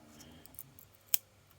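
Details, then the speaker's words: International Multi-Band MT-800 world band radio under restoration: one crisp click as the volume knob turns on, its silver arm meeting the contact to complete the circuit before the potentiometer; normal power switch click. "so yeah so that's the click that here you turn it off and on"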